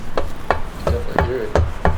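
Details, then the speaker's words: Honda Elite two-stroke scooter with a 120cc stroker engine, crank pulled in and out by hand; six dull clunks from excess play, owner suspects a spun or bad crank bearing and says it will probably need a new crank and bearings; crankshaft play clunk. "Grab a hold of that crank and pull it in and out. Oh my god, bro. I think I might have a spun bearing, or that bearing is either that bad on one of my"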